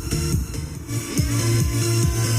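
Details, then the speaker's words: 502T portable power amplifier run on a cordless drill battery instead of mains: bass-heavy music plays clean with no hum or buzz, whereas mains power caused heavy hum. "Nah, ini bersih ya, [musik] tidak ada dengung."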